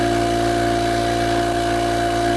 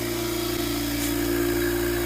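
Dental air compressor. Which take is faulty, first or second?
first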